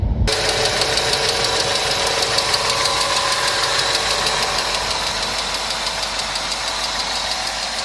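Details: Engine with about 5.5 litres oil capacity, owner complains of engine noise, additive to be added to oil: quick even light ticking about three a second over steady idle; hydraulic lifters tapping.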